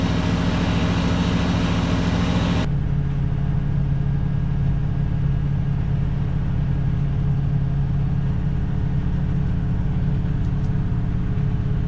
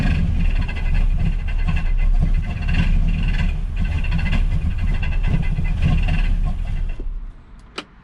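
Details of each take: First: 1967 Ford Galaxie 500 289 V8 at first start and break-in, after a small water leak and power-steering fluid smoke off the exhaust manifold; deep, even V8 rumble with a steady beat, no misses, knocks or hunting, runs real smooth; normal idle. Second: 1967 Ford Galaxie 500 with 289 V8, first start after WD-40 was sprayed down the cylinders: a loud, rough scrubbing racket rides on the engine note. The water pump pulley was rubbing; it was fixed by shaving the pulley and reinstalling it.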